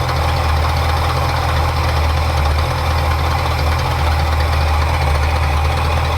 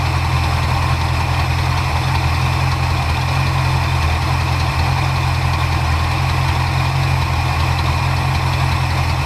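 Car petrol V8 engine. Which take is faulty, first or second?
first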